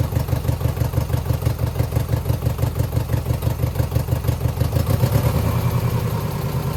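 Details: 2009 Subaru Forester X NA EJ253, remanufactured OEM heads, third start after engine install: uneven lumpy idle, stumbling about three times a second with a rough clattery beat; owner suspects cylinder 2 misfire from cracked head or water in block.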